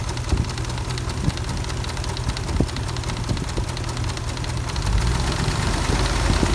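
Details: 2004 Dodge Ram 4.7 with a persistent cylinder 8 misfire since purchase: rough idle with sharp, irregular ticks and occasional stumbles, louder when revved; ticking misfire, shop could not find the cause.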